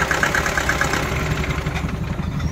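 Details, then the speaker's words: Mahindra Bolero Pickup BS6 diesel with starting problem and codes P0088, P262B, P128, P1233, P1832: starts, then idles unevenly with lumpy faltering beat and dies; first code indicates fuel not being delivered. "On करते हैं और इसमें देखिए आवाज़ start हो गया dot dot बंद हो जाएगा देख का रहे बंद हो गया"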